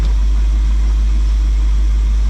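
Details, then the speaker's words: Warm V8 (about 180°) in a G10 van at steady idle, timing set near 10° after complaints of hard starting and an occasional loud bang on startup; idle is low, even and smooth with no misses, and the carb is about to be watched at shutdown for boiling over or flooding. "been running for a minute engine's warm 180 got a flashlight so let's uh see what happens when we shut her down"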